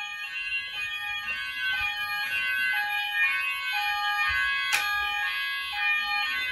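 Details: Apollo XP95/Discovery addressable house fire alarm covering the upstairs, on evacuate with one device tested. Loud shrill sounder tones pulse in a stepped pattern about twice a second through the house; the alarm sounds normally.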